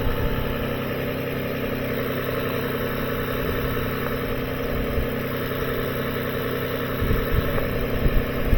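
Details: 2007 Lexus ES 350 with charging complaint, alternator and battery replaced a year ago, idling with headlights on during voltage drop tests: smooth, even idle, steady low hum, no misses or rattles; alternator fine, battery had drained.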